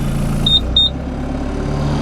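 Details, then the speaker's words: Diesel Toolcat utility vehicle just started cold after preheat: two short high beeps, then a steady, even diesel hum held at raised idle that stays up until it warms; normal cold fast idle. "Maybe some of it. Brings up the RPMs till it warms up."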